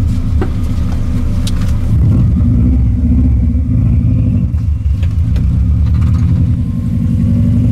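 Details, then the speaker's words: Subaru 22B project turbo car driving after ignition coil conversion: deep, even engine drone with road rumble, turbo clearly audible, no knocks or rattles. Normal turbo engine running. "T'entends le turbo, hein? J'entends le turbo. Bon. C'est juste ça qu'on entend quasiment."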